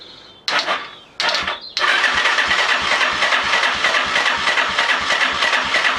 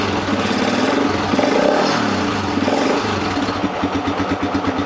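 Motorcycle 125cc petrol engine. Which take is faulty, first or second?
first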